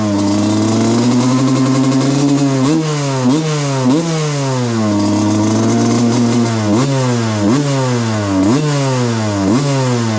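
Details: 1995 Suzuki RM125 two-stroke dirt bike rejetted to 160 main and 45 pilot from running rich, about 40:1 premix; crisp ring climbs cleanly on throttle blips and returns to steady idle, normal two-stroke running.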